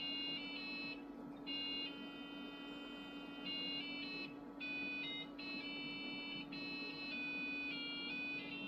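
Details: Packard Bell desktop rebuilt with PB570 board and 100 MHz Pentium: educational Busytown game, a hybrid Windows/DOS program, gets no sound card support, so it falls back to thin square-wave PC speaker beeps playing a simple tune.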